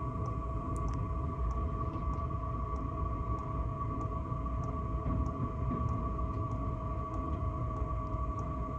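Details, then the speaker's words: Chinese Webasto-type 8 kW heater on camper van, heard from under the vehicle: quiet steady hum, faint whistle, soft occasional ticks; running normally, very quiet. "C'est vraiment infime, hein. Franchement c'est infime."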